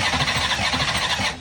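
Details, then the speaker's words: Race V8 after spitting out pistons: ragged, uneven blatting with choppy pulses before cutting off; burnt pistons, the motor is hurt. "I know y'all have seen the video of it spitting pistons out, but listen to this thing."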